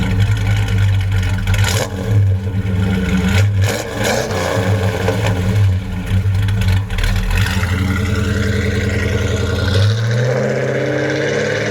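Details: 1972 Chevelle Malibu 383 V8 on stock manifolds and 2-inch pipes, before fitting Doug's headers and 2.5-inch Flowmaster exhaust: deep burbling rumble with quick throttle blips rising and falling; healthy stock exhaust note.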